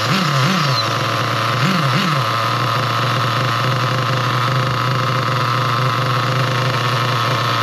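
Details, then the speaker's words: Nitro RC car engine after the low-speed needle was leaned back clockwise from a too-rich setting that stalled it: steady high buzz with a couple of brief revs, even pitch without sagging; good low-speed setting, normal running. "So yeah, that's a good sounding good sounding um low speed."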